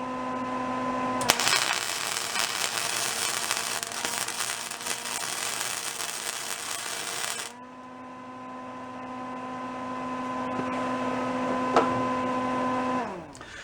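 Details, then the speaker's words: Old discarded Lincoln flux-core wire welder, revived by lubrication, welding on a higher voltage setting: a constant crackling arc over a steady hum with no popping. It works well, giving a steady arc. "actually works pretty good let me give her some more wire"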